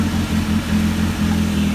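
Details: Freshly DIY-rebuilt 175-hp Dodge 2.2L turbo GLHS engine in a 1985 GLH-T, just after first successful startup, before thermostat warm-up: firm, steady note with a clean low beat swelling slightly on a blip, no knocks or rattles; running healthy.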